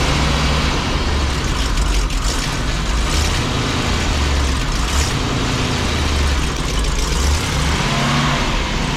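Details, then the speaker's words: 1987 Class A Coachmen motorhome gas engine, cold, throttle feathered: revs rise and sag unevenly and never settle, tending to stall because the inoperative automatic choke gives no fast idle until warm. "See, it's a little cold-blooded. It won't idle right away. Now, if that choke works, there's a fast idle mechanism that'll force it to stay idling until it warms up."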